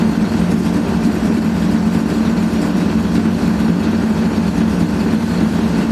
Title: Old Hotpoint AQUARIUS 6kg WMA58 Washing Machine Spinning with very Bad Bearings